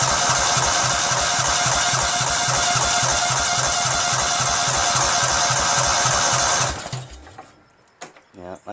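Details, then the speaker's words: Cub Cadet tractor with a 13hp Kohler Command CH13 engine, cranking with a swapped Briggs & Stratton mechanical fuel pump during a fuel-output test: steady cranking for about seven seconds with no firing, and the fuel only pulses weakly; fuel starvation. "I'm gonna crank it and see if any fuel pops out [Laughter] I mean it's pulsing a little but that's just not working"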